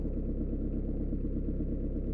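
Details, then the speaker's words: Citroën/Peugeot 1.9 diesel idling after valve clearance adjustment that fixed rocker ticking, hard morning starts and smoke; steady even clatter with no misses or extra knocking. "voici le résultat final problème est résolu grâce au réglage"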